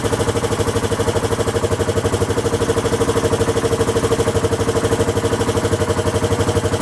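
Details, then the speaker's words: Honda XL1000 Varadero, first start after rebuild: lumpy, loping idle with sharp chuffing pulse about three times a second, slightly smoky; exhaust blowing at a loose clamp joint, rough running, clamp to be replaced. "i'd say it sounds rough because obviously the exhaust is blowing and that's down to the clamp on the other side"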